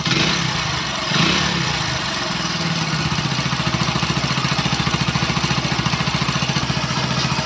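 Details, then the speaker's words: Single-cylinder motorcycle after a fix for an engine (piston) sound problem: an even idle putter with a few clean throttle blips and no knocking or rattling, so normal idle; the only remaining noise is vibration from the main stand. "Bike का sound सुन सकते हो आप bike का sound किस प्रकार से आ रहा है थोड़ा सा एक्सीलेटर लेकर दिखाऊ मैं आपको यानी कि जो इसमें इंजन साउंड की प्रॉब्लम थी वह यहां पर सॉल्व हो चुकी"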